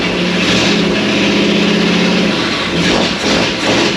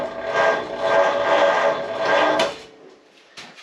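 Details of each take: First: 1937 Ford with new, tight 59AB flathead V8 on a 6-volt system, run without radiator or coolant: strong, even rumble with crisp throttle blips and no miss or knock; running on all eight. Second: First start attempt of a new, tight 59AB flathead V8 in a 1937 Ford on a 6-volt system, car in neutral and raised: labored cranking at about two slow beats a second that never fires. Slow cranking from a weak starter on the 6-volt system.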